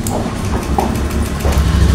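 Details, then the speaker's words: Motorcycle that wouldn't start, with MIL blinking code 12 and a silent fuel pump. After the fix, the blinking is gone and the pump hums at ignition-on. Engine catches and settles to a steady idle; slight initial delay, possibly another issue; normal start. "dan di bagian Pul PAM kita dengarkan kontak on nah oke tuh ini sudah dipastikan motor pasti menyala Pak"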